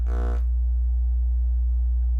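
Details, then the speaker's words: Miller & Kreisel MX-105 MkII subwoofer plate amp fed a tone generator near 60 Hz: steady low hum turns buzzy and harsh as frequency rises, then clears; ripple from both bad main filter capacitors clipping the amp. "you can hear it start to distort as i raised the frequency so it's actually acting like a beat frequency oscillator bfo"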